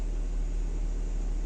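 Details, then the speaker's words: 2012 BMW X5 E70 petrol engine, after repair: it had misfired, worst when cold, and a faulty ignition coil was replaced; now smooth, low, even idle hum with no stumbles or uneven beats; normal idle. "Машина зібрана, працює відмінно, мотор урчить суперово."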